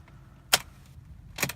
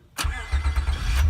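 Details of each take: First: 2003 Honda Accord V6 (7th gen), starter located low on engine: two sharp single clicks about a second apart with no cranking; failing starter that turns the engine over less and less, before replacement. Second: 2003 Honda Accord V6 (7th gen) after starter motor replacement, battery reinstalled: short crank catches almost at once into a smooth, even idle; strong, healthy start.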